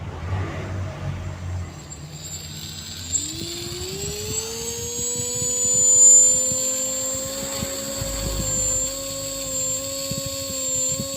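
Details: Drone motor on an MJX ESC with a 2S battery during throttle calibration: clean whine climbs in pitch, then holds a steady high note at full throttle; motor reaches full speed smoothly and evenly.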